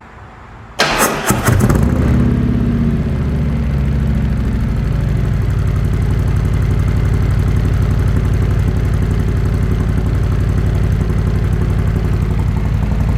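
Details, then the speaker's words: 2020 Harley-Davidson Road Glide Special, Milwaukee-Eight 114, stock cam, stage 1 with D&D 2-into-1 exhaust, Arlen Ness air cleaner, Fuel Moto tune; cold start, not ridden all day, before S&S 475 cam install; brief crank, deep steady loping idle, no tapping, healthy. "The bike hasn't been ridden all day, so it'll be a nice, fresh, crisp, cold start."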